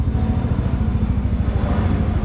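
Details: Yamaha NMAX Turbo scooter idling right after engine oil and gear oil change and oil-life reset: even low thrum and steady beat, no knocks or rattles; healthy.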